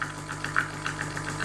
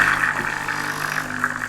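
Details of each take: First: Gemilai Owl thermoblock espresso machine, pump after adjusting the over-pressure valve: only reaches about 7.5 bar this time versus just under 9 before, inconsistent; steady low buzz with uneven rattly bursts, pump straining, cause unconfirmed. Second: Gemilai Owl thermoblock espresso machine, vibratory pump running after over-pressure valve adjustment: loud steady buzzing drone with small fluttering pulses, no stalling or rattling, sounds better, normal operation.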